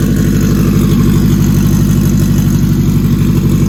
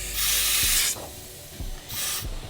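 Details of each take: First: Acura RSX, K20 with stock turbo kit, just after first startup of build: smooth, even idle with steady low beat near three pulses a second, no knocks or ticks; normal idle. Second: Acura RSX with a stock K20 turbo kit, fresh build, boost leak test done before first start. Two sharp bursts of escaping-air hiss with faint clicks under pressure. The leak is at the throttle body area, a couple of spots.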